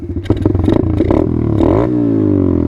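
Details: Dirt bike started in neutral with the key on: a few quick cranking pulses catch and settle into a steady, even idle with no knocks or rattles, a healthy start.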